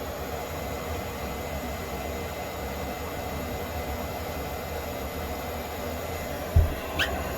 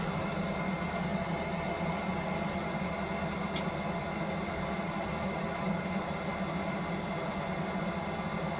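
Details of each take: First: Propex Heatsource HS2000/HS2800 LPG motorhome heater after cleaning and service, previously would try to start then cut out: steady even rushing roar from burner and fan, no flutter, popping or surging; running normally, outlet over 100 degrees. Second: Propex Heatsource LPG space heater in a van, switched to flame: fan whirs steadily but no ignition spark ticking and no flame lighting, then winds down; fault, fixed by cleaning/service.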